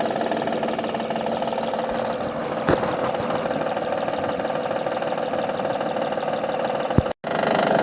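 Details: 2005-2010 Honda Odyssey 3.5 L at idle, top cover off: fast uneven light ticking knock over engine note, source not yet found, drive belt removal planned to isolate; timing belt tensioner knock.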